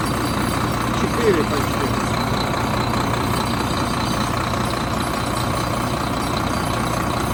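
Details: 2013 Volvo FM 410 hp 4x2 tractor diesel with an oil pressure fault code, just started cold before warm-up: settles into an even, steady idle with no knocks or rattles; sounds healthy and runs smoothly.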